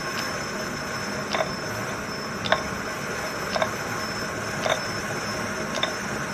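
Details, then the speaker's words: Treadle-driven M-Type lathe from 1922–23 with new synthetic belt replacing leather, turning phosphor bronze stock: crisp click about once a second keeping time with the belt, from the metal belt joiner passing over the pulley. "the clicking you can hear is the Joiner on the Belt there we go that's better"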